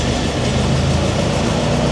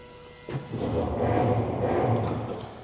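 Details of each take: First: Roughly 100-year-old Ford Model T, first start after sitting for years, switched from 6-volt battery to magneto ignition after spark and fuel adjustments: even, steady low chug with no stumbles; runs smoothly. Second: Ford Model T sitting unused for years, first start attempt: starter engages with a clunk, then slow labouring whirr that never picks up speed; very stiff cranking, owner suspects friction in the transmission.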